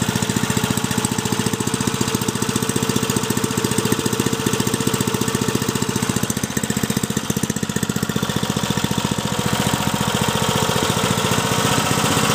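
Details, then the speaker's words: Briggs & Stratton 3.5 HP single-cylinder engine, age unknown (owner guesses over 10 years), likely little used, after clean-up and carburettor fix: steady, even beat of about 220 firings a minute, no misses or knocks; normal running. "running good near the very brilliant I'm happy beautiful beautiful"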